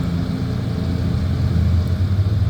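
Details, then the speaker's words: 2023 Carrier Gemini heat pump site, newly built apartment complex, about 55°F outside: a PTAC unit with its front grill removed running in heat mode; steady low hum and fan rush, even drone, no knocks or squeals; normal heat operation. "And here's a PTAC without the front grill running in heat mode."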